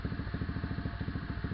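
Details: SSR 125 with a Mikuni 26mm carb, aftermarket intake pipe and air filter, first start after fitting a new CDI box with idle speed unchanged: even, quick single-cylinder putter around eight beats a second, steady with no misses, a slightly fast idle.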